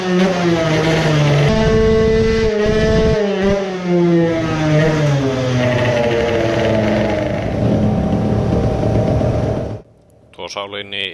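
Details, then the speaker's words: Moped two-stroke on the dyno with new pipe, new fuel at a 4% oil mix and ignition back at stock: screams up through the revs, then cuts dead near the top; the powerjet, accidentally left connected, was injecting way too much fuel. "it was just shutting off so it did exactly that, it was injecting way too much fuel"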